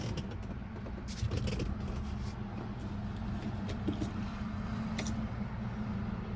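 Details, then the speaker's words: Mercedes 240D diesel from a junkyard, off the road for a while, first start after priming injectors and using glow plugs: low, steady rumble settling to an even idle, no misses or knocks, oil pressure present; normal. "Feed me nails and call me rusty. I was not expecting this thing to actually run that easy."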